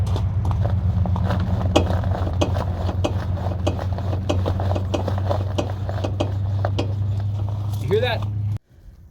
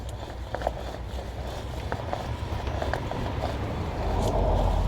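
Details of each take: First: Honda Element front suspension with the sway bar end link nut only hand-tight, body rocked side to side from the driver's door. Quick hollow clunks come from the loose link and stop once the nut is tightened. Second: Honda Element being rocked by hand at the driver's side after the loose front sway bar link nut was tightened with an 11/16 wrench: the suspension clunk is gone, leaving only faint light ticks and outdoor rumble.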